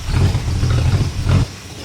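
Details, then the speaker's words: Classic car briefly started with no coolant for 15–20 seconds: short burst of deep, even exhaust rumble with a slight rise and fall in revs and no knocks or misses; healthy running. "it sounds mean that's pretty damn good eh yeah"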